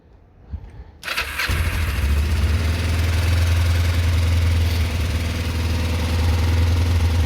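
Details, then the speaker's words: Kawasaki ER-5 twin with newly fitted exhaust, battery and fuel level uncertain, fuel thought very low: quick crank, catches at once and settles into an even, quiet idle with a steady low thrum; owner wishes it were louder; normal start and idle. "it's a shame these motads don't have a little bit more sound i think i just need a little bit more sound in my opinion"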